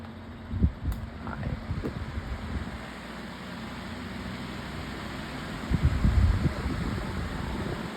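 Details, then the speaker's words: Pedestal fan on high speed, unit shaking heavily: steady fan roar with uneven low rattling bursts; rattling. "Oh, you can hear the rattling, but can you see it shaking?"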